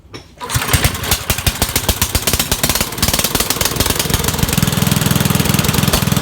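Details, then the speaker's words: Dump-find Rugg carpet-cut tractor, single-cylinder small engine, restarted after cleaning a badly fouled carburetor and adding a fuel filter; on choke it catches after a brief crank and settles into a steady, slightly uneven putter, running acceptably. "I gave it choke, 3 pulls, started right up. Not running bad, considering how bad that carburetor was."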